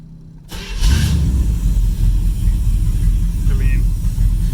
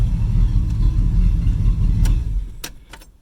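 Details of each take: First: 1978 Corvette 25th Anniversary, L82 V8, sat 20 years in a field, starting on one turn of the key: engine settles to a rough low idle with a thin whistle from a headlight vacuum leak that stops when the lights are switched on. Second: 1978 Corvette 25th Anniversary, L82 V8, sat 20 years in a field, idling after a one-turn start with lights on: deep, even V8 burble, steady low rumble, no knocks or misses; normal idle.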